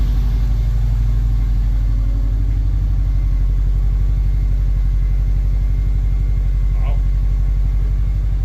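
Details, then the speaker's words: Subaru 2.5RS rebuilt engine, first start after reinstall, warming up: deep, smooth idle with a regular even pulse, no knocking, ticking or misfires; owner says it sounds really good, normal idle. "this thing sounds really good yeah it does holy crap right on sounds really good nice that is awesome"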